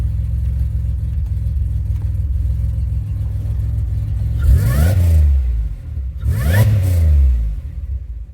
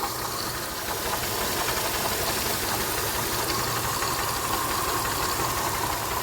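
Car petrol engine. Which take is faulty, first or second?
second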